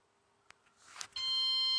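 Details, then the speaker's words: Flashforge Adventurer 5M 3D printer powering back on after a 10-second power-off restart following a failed firmware update; faint clicks then a steady rising electronic tone that holds, the normal power-on jingle. "Now we sit here and we wait for it to power back on. Wait to hear the jingle again."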